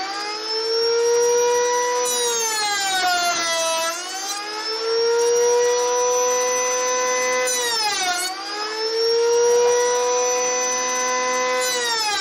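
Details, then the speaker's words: Router cutting slots in reclaimed timber for a shed storage rack: high screaming whine that sags in pitch as each cut loads the motor, then climbs back; very noisy, owner suspects the bearings are going; loud whine. "That is noisy. I didn't hear it with the earmuffs on. I think the bearings are going in that rotor, to be honest."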